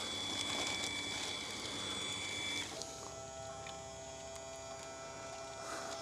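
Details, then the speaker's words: MODIWELL LE-310 dry-flush toilet on first bag feed: small motor whirring at a steady high pitch, then a lower even hum as it pulls the bag down; runs smoothly, before heat-sealing. "All right, here we go. So it's pulling the bag down through."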